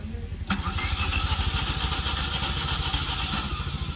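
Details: Tata Nano that stalled while running and would not restart since the day before; ignition connector refitted, dash lights on, in neutral. Starter cranks steadily at about three turns a second but the engine never catches; broken timing belt.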